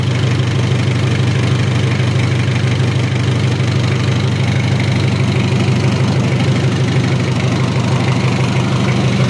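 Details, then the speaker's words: Mitsubishi L300 diesel after overhaul with a 12 mm rotor head and oil pressure at 25 psi: an even, quiet diesel clatter with oil up top, steady and regular, a healthy idle. "oli sudah naik ke atas suaranya anteng adem kemleeteknya juga dapat beda"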